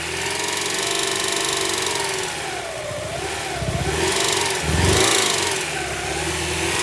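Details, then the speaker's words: 1999 Honda Prelude, 113k miles, dies when warm, suspected flooded rich; during a screwdriver spark check, lumpy revving surges and sags under throttle with no steady beat, described as so rich: rough rich running. "now you're adding gas [Applause] it's spreading so so rich [Music]"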